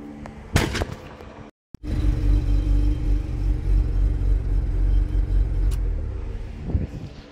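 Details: Mazda RX-7 engine rumbles along, then sharp pops crack out as it is switched off; it backfires every time on shutdown.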